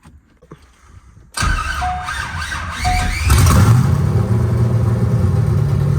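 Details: C5 Corvette drift car V8, first start after new battery and O2 sensors fitted: short crank, catches within about two seconds and settles into a steady, even idle; normal start.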